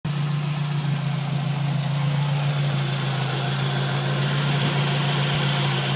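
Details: Scion tC after new water pump: steady, even idle hum with no more scraping/scratchy sound; the old pump's bearing felt gritty and wouldn't spin right.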